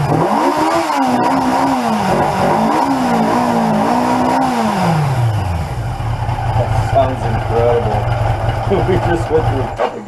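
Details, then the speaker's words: 1981 Yamaha XJ750 Seca inline-four running for the first time in a long while during a revival, just after the carburetors were refitted: crisp blips rise and fall smoothly, then it settles to an even, steady idle, sounding healthy. "man do i love the sound of that bike i've always loved the sound of the inline fours"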